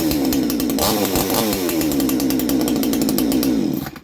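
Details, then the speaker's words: Chinese Baumr-AG 62cc two-stroke chainsaw with a new exhaust, clutch bearing greased and shoes cleaned. The carburetor was set at 1.5, then adjusted slightly richer. It screams at a strong, steady high rev with a slightly shifting note before cutting off: crisp, healthy running after carb tuning. "There's a little bit more, so it sounds like easy tune. You hear it changing its note."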